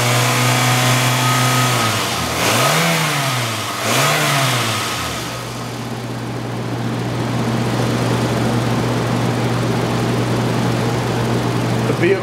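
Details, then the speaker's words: 2005 Toyota Camry LE, 2.4 L California-emissions engine, front-wheel drive, 77,000 miles, parts car: steady idle, two quick clean blips rising and falling smoothly, then back to even idle; healthy engine revving. "if you bear with me one second we're going to rep the engine a little bit just so you can hear exactly out of motor"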